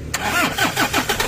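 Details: Toyota Innova D4D diesel with dog-chewed injector driver wiring, before the driver was replaced: cranks, catches with rough uneven chugs, won't idle and dies; runs only while fuel is hand-pumped at filter primer. Faulty injector driver cutting fuel.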